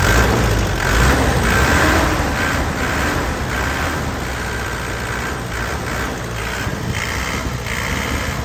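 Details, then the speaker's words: 2003 Isuzu Panther Touring turbo diesel, manual: settles into a steady, crisp idle clatter, even with no misses or shaking; healthy engine. "Suaranya masih renyah. Enak ya. Mesinnya juga stabil, tidak pincang ya."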